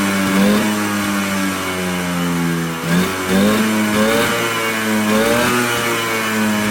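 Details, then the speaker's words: Polaris Colt two-stroke, no choke cable, idling a little high; crisp revs climb and drop cleanly with steady buzzy idle between blips, revving out much better than before. "It's idling on its own. It sounds like it's idling a little high, but overall, this thing is revving out way better."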